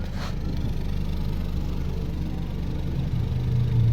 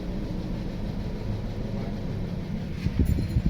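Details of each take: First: 2016 Toyota Corolla Altis Grande 1.8 four-cylinder after fixing a misfire, heard at the exhaust; steady even beat swelling smoothly with revs, no missed pulses, all cylinders firing. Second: 2016 Toyota Corolla Grande 1.8 four-cylinder, misfiring and stalling in gear: lumpy uneven idle that doesn't change when cylinder 2 is cut via scanner, so cylinder 2 is dead; cylinder misfire at idle.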